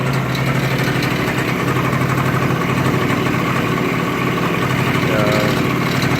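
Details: Yamaha-type Chinese scooter, previously rebuilt with new piston, crankshaft, bearings and seals, after filing the variator cover so it seats properly, idling: even, low putter with no knock. The strange variator noise is eliminated.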